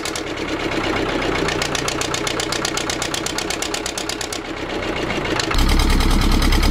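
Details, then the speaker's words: Old vibratory roller's twin-cylinder diesel, revived after about 20 years unused (engine had been removed and partly dismantled), idling steady and even with both cylinders firing; second cylinder picked up after a while, owner suspects debris in injector. Oil leak noted. "oh well it's running sweet now that second cylinder seemed to pick up after a while so it might have just been a bit of crap in the injector or something"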